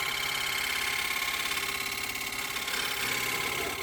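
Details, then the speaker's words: Wood lathe turning a punky spalted bowl: fast, fairly even buzzing chatter, about three to four pulses a second, over a bright cutting hiss; vibration traced to the wood screw chuck setup, gone when using a screw plate instead. "I was getting a fair bit of chatter where it felt like there was a vibration, and I just couldn't figure out where that was coming from."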